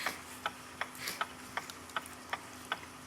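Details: Copal RP-160 flip clock, just serviced with its motor cleaned in isopropyl alcohol and reassembled, is powered up with the front off. Light, even ticks about 160 a minute sound over a faint steady hum; the motor spins freely and it runs normally.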